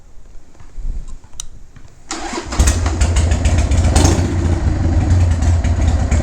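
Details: Used 2001 Harley-Davidson 1200cc V-twin, mostly sitting in a garage and partly disassembled, first start on the key: starter cranks briefly, then it catches and settles into a strong, even loping idle with a steady beat; runs healthy.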